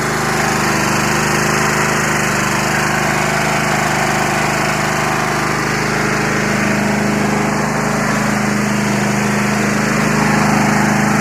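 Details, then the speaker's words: Free Yard Machines 20 hp riding mower, 42-inch deck, starter previously wouldn't engage from key switch. Steady low drone, even pulse about 220/min, no misses or knocks; runs fine. "I'm going to pull on the cable and I'm going to see if the starter turns well that's a good sign I like"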